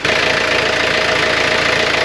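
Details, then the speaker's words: Sailing boat's marine diesel at idle, measured around 84 dB: a steady, even hum with no knocks or misses. Normal, healthy idle. "that's like 84 DB it's not a loud engine it really isn't"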